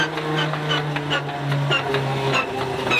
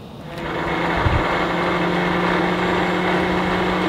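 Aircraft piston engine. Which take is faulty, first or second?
first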